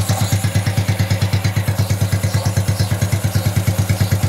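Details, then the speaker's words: Honda Wave 110i motorcycle idling smoothly after the cam chain set was adjusted and reassembled: an even low thump with no cam chain whine or rattle. "เรามาทำการฟังเสียงดูนะครับว่ารถคันนี้เสียงเครื่องยนต์จะเป็นอย่างไรนะครับทุกท่านจะเงียบมยเมื่อเทียบกันกับโซ่ราวลิ้นแต่งนะครับ"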